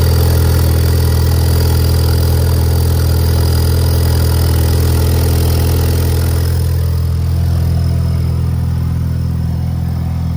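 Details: Ford Ecobooost Mustang deep loud idle with steady rhythmic puffing from exhaust leaking at the turbo downpipe gasket; small, inexpensive fix.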